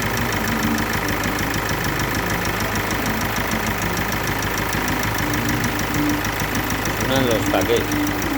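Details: Kia Sportage 2.0 CRDi diesel at idle: fast, uneven light ticking from the top end over diesel clatter, caused by failed hydraulic lifters (tappets).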